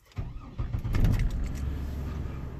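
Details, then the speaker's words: 2003 GMC Envoy 4WD 4.2 L straight-six after a cylinder 4 misfire diagnosis by coil swap, spark plugs pulled: short crank, brief stumble possibly from oil dropped in the cylinder, then a smooth, steady idle with no misfires. "so we're looking at current misfires misfire cylinder to see it smoothed out there's no misfires"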